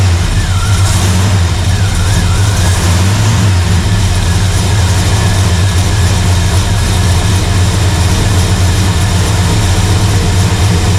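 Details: Blueprint Engines 350 Vortec small-block V8 idling after new intake manifold gaskets were fitted to fix a vacuum leak: steady, even idle with a deep, smooth rumble and no ticks, misses or hiss; sounds healthy.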